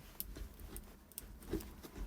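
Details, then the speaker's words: Kia Spectra gear shift linkage after the dry bushings under the car were lubricated: soft clicks and light clunks as the lever moves, with no squeak. "не скрипит работает"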